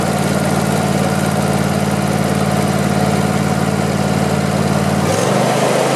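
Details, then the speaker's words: Craftsman YT4000 lawn tractor, sat in a barn for years: steady, even low thrum with regular pulse, no knocks or rattles, speed drops near the end; deck vibrates, blades probably to be sharpened and balanced. Normal idle. "Sounds pretty good. The mowing deck, it engages, but it feels like there's some vibration down there, so I'll probably check out the blades, sharpen them, and balance them."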